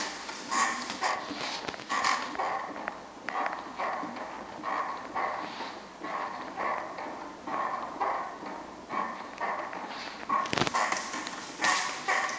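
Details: Brand new, properly assembled Yowza Fitness Largo elliptical squeaks from the start; rhythmic high squeaks about 44 a minute keep time with each pedal stroke, seemingly from the pedals, which are very stiff; the unit also rocks side to side.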